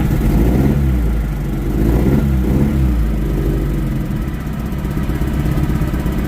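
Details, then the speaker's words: Year 2000 MGF 1.8, abandoned five years, airbox off so it may sound different; uneven, lumpy low drone wavering in strength, running rough and needing fine tuning; owner suspects cobwebs from sitting and old fuel. "Certainly needs a bit of fine tuning. Probably need some old fuel in there."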